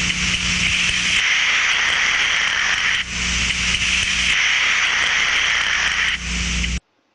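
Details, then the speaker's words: Steam trap checked with ultrasonic detector: steady rushing hiss that dips and returns every couple of seconds as the thermal element opens for condensate and closes for steam; normal cycling. "jak pojawia się para on się będzie tutaj odchylało podobał zamknięcie jakie skondensowane się otwiera czy będzie słychać cyklu pracy"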